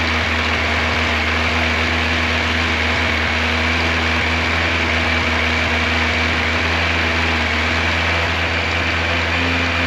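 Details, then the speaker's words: 1986 Yamaha FJ1200 with carburetors, first start in years, cold with choke full on. Smooth, steady idle with an even low hum and no knocks or rattles. Engine sounds healthy. "I am so glad that this bike fired up, that I was able to get it running. Uh, the engine sounds good. I don't hear any scary noises from the motor."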